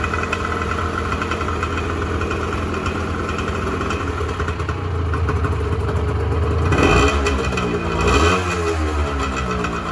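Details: 1986 Honda NS400R 400cc two-stroke triple after 11 months standing, run on choke to empty the carbs for storage: ragged idle that sags and surges, then a couple of short revs as the carbs run dry; running out of fuel.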